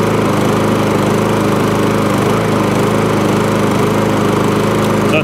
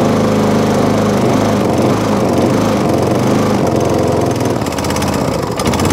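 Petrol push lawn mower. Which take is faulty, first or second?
second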